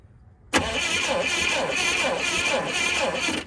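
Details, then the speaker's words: Old Clark forklift bought at auction, cranking: starter spins steadily at an even pulsing rhythm for three seconds but engine never catches; no spark found at the coil, plug condition uncertain. "Not getting spark there either."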